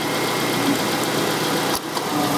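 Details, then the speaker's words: 2009 Hyundai Tucson 2.0 L 4-cylinder with new A/C compressor not commanded on, relay removed and its terminals jumped with a paper clip: steady running, then a sharp click and brief dip in engine note. Compressor clutch engaging. "I can tell that spark, heard the compressor kick on, and it's not drawing enough amps to burn my fingers."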